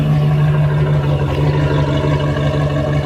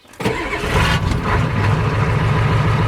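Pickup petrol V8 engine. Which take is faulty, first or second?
first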